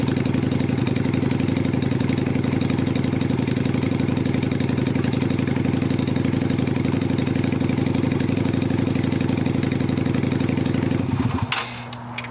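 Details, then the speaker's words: 2000 Yamaha Virago XV250 with stock undrilled slide diaphragm but cut spring: steady, even low putter for eleven seconds then shut off; idles smoothly now that the drilled-diaphragm issue is removed. "So there you go. That hole in the diaphragm was causing a lot of issues."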